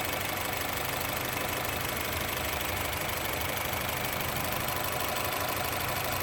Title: Honda City Engine Rough Idle